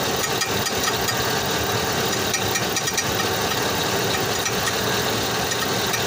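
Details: 2005 Chevrolet Tahoe at steady idle with a light, irregular ticking and rattle from underneath, a weird noise that began suddenly; something loose or tapping, source not pinned down.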